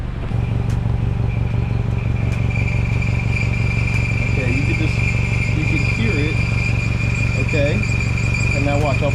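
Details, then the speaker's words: 2008 Honda CR-V at idle: light, fast metallic chatter over the low hum, a rattle from underneath at the exhaust pipe that stops when pressure is put on the pipe; cause unclear. "my foot on the pipe and the noise goes away so I'm not sure why it's making that noise and if it's just a rattle yeah I'm really not sure what's going on"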